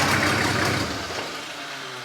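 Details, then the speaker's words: Diesel in a 1954 Ford F600 on a 1995 Toyota Coaster bus chassis, in neutral, believed dry of fuel: the starter churns briefly, then it catches on fuel left in the rail and settles to a rough, steady low idle. "It must have had a little bit in the rail, and it started. So we have a running engine."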